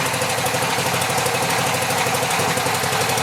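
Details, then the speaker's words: Cheap pressure washer small engine: steady low putter that never revs up whatever the engine speed control setting; owner suspects a worn, stretched throttle linkage spring keeping it at idle. "the only problem i've noticed so far is that no matter where i set the engine speed control it just wants to idle to get the motor to rev up i had to manually move the throttle valve over here so there's something wrong with that linkage could be this worn out spring"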